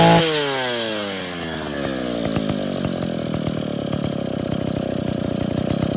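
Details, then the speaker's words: Freshly rebuilt Stihl 070 chainsaw (bottom end reassembled, new seal; choke and clutch unfinished, no cover or bar) fires up, then revs settle into a steady, even idle with a quick regular beat, no stumbling: normal idle. "senhores, pegou, funcionou. Claro que está faltando alguns detalhes, consertar o afogador e a embreagem, colocar a cobertura, um sabre e colocar para trabalhar, testar ela."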